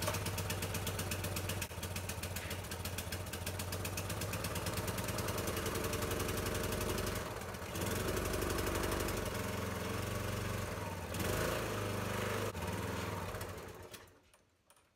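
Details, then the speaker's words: Troy-Bilt sickle-bar mower with a 5 HP Briggs & Stratton engine, after its carburetor was cleaned and the low jet adjusted following long storage: the engine fires up but beats unevenly and lumpily, never settles into a smooth idle, then dies. "she fires up but she doesn't really run that great"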